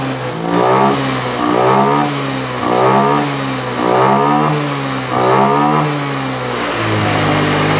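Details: Honda Scoopy FI, about 2022, K0J engine, after service with an injector setting changed from 54 to 0: five clean throttle blips, revs rising and falling smoothly with no stumble or misfire. Normal revving.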